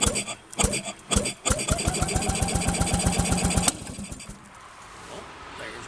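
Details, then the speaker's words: Rebuilt Penguin engine cranked with fuel and spark for the first time since the rebuild, throttle slide checked not sticking: choppy cranking, then a couple of seconds of rapid even pops that die away; it kicks but fails to start. "little kick i'll just give it a little more fuel one two three and i did check the throttle to make sure the throttle slide wasn't sticking"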